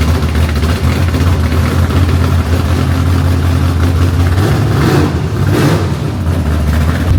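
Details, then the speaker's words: 1967 Camaro street machine with open headers. A loud, deep, lumpy idle with a few throttle blips runs steady and even through the open pipes; healthy. "this thing is open hitters and what a sound listen to it here we go"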